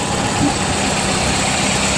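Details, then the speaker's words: Car at idle after replacing the bad alternator with a used unit; charging restored to 14–14.6 volts; steady even idle, smooth hum, no rattle or whine, previous noise gone — normal idle. "right there that's a done deal man noise is gone we got our 14 volts back the battery's charging up now so we're good to go"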